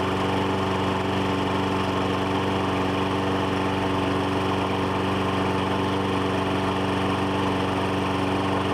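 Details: Troy-Bilt mower with 2012 Briggs & Stratton 550EX engine, run before tune-up oil drain: steady, even petrol putter at constant speed with no misses, knocks or rattles; idling normally.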